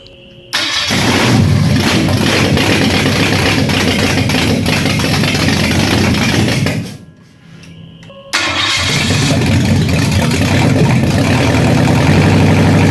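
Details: Freshly rebuilt Ford 302 V8 for a 1966 Bronco, first start on a run stand, camshaft break-in: uneven, lumpy run with a stumbling beat and brief dip. Dead cylinders caused by carburetor fault; bad lifter tick found later.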